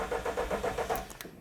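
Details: Ford Escort Mk4 that still won't run, cranked while watching an injector spray into a bottle: quick, even cranking at roughly seven or eight beats a second that never catches. Cranks, no start.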